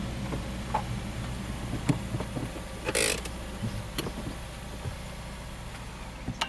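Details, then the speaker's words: Subaru flat-four, six-speed manual, first start after exhaust valve repair: even steady low rumble at idle, no misses, light background clicks; roughness monitor readings all zero, idling smoothly. "so on our roughness monitor all the readings are zero it's idling very nicely"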